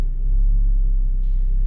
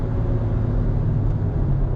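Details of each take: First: Mazda 3 at idle just after start-up: heavy low rumble and throb shaking through the body rather than ticking from the engine; worn engine mount. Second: Mazda 3 after replacing the destroyed engine mount, which had caused grinding drive noise: steady low engine drone while driving, no thumps, knocks or clunks; normal driving.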